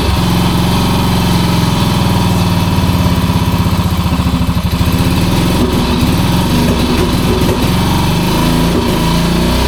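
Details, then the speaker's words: 1966 Honda C200 motorcycle engine, off the road since 1972, running on full choke: a lumpy, uneven single-cylinder putter with wavering speed. It runs rough, and the owner suspects petrol is not getting through. "Oh, it don't sound well, but it runs. That don't sound well at all. It's not well."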